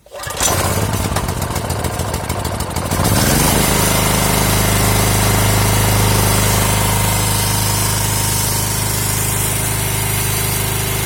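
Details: Briggs & Stratton generator, first start after sitting 2 years following diagnosis of a fault. Brief rapid cranking, then it fires and settles into a loud, steady, even drone with no misses.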